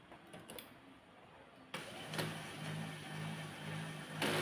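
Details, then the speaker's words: HP LaserJet P1102 printer at power-on after reassembly: a repeating mechanical clack about twice a second; caused by a wrong, non-matching fuser gear fitted. "rồi Chắc chắn là do nhông rồi các bạn Vậy là cái nhông này sai rồi nhông này không phải của nó rồi đó các bạn thấy chưa gắn vào nó bị lỗi ngay là nó bị kêu ngay đó"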